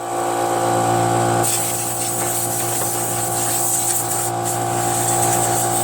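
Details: Free curb-pick John Deere JS63 mower, run at fixed throttle to burn the tank dry for storage (about 25 minutes): steady, even drone with no misses, knocks or surging; healthy normal running.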